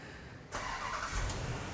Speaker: this only happens when it's cold it's a very hard start it has an oscillating rpm